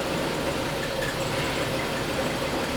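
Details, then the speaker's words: XG Ford Falcon ute idling smoothly after topping up power steering fluid; the earlier whine and rattle, suspected from a failed engine mount, are gone. "yeah way better so much better sounds sounds fine it's not rattling anymore as you can hear and it's not winding from the engine anymore because we've got power steering fluid"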